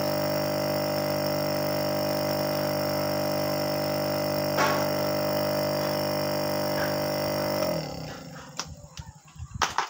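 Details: Refrigerator compressor that hummed without starting, drawing 5.8 A instead of about 0.8 A, retested after a poorly connected part was opened up: steady, even motor hum with no knocking until power is cut; now starts and runs normally.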